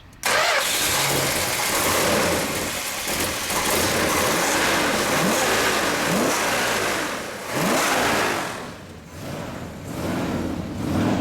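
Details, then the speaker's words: 1970 Plymouth Road Runner Superbird, 426 Hemi with dual four-barrel carbs on progressive linkage: the big V8 fires straight up and settles into a lumpy, even idle with crisp throttle blips; starts clean and runs normally. "Let's get a little exhaust note. So people can enjoy what that Hemi sounds"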